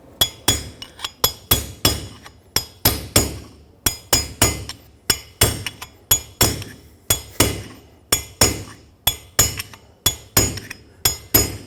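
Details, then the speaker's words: 2011-2016 Ford F-350 rear wheel bearing race tapped into the hub without an installer tool: sharp ringing metal taps about once a second, the sound changing as the race bottoms out. Race fully seated. "That's completely bottomed out. You can hear a clear difference between when it's still going down and when it is fully seated."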